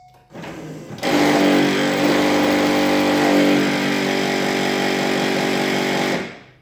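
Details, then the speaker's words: C5 Corvette pop-up headlight lowering: old motor whirs and grinds about five seconds instead of stopping, as its failed gear doesn't sense the bump stops; headlight still works, motor being replaced. "But when it goes down, it's going, and since the gear isn't working, it doesn't feel it as hitting the bump stops."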